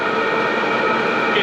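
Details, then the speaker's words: maXpeedingrods 12V 5kW Chinese diesel air heater at max output, about 2 amps for fuel pump and fan, about 82°C, exhaust about 100°C, later about 3.3 amps; a steady rushing fan with constant whine, no rattles. Normal at full output. "it is picking up noise but it's not too bad the temperature is definitely getting hot but the current rating is staying at about two amps this is just the fuel pump and the fan running"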